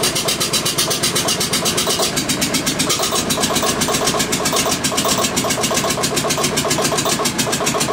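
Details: Witte single-cylinder diesel generator first start after 45 years sitting, injection pump had been stuck, smoking: fires and settles into steady quick chuff running on its own; later shut down for no oil pressure.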